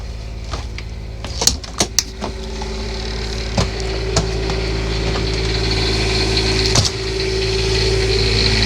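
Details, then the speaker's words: Class A RV quiet diesel generator started after about 10-15 seconds of fuel priming: a few sharp clicks, then a steady even diesel drone, no knocks. Normal warm-up running. "And that's why they call it a quiet diesel because it is running."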